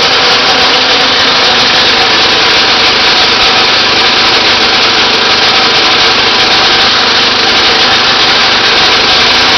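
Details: Briggs 3-cylinder small engine revved high with a hard, raspy, uneven note after a mechanical failure left it running on only the top two cylinders; it needed several cranks to start, and the owner thinks it was a gas problem.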